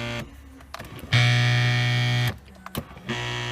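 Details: 1995 Chevrolet C4 Corvette with broken power seat adjuster, gear possibly stripped: steady electric seat motor buzz in short bursts separated by clicks; the motor runs but the fault is unclear.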